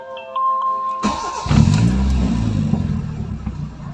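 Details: Toyota Corolla 2E engine, after fitting a new idle solenoid for an idle that dropped and stalled: the engine cranks, catches and settles into a steady, even idle with no hunting or stalling.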